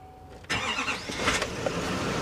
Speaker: fired right up sounds good too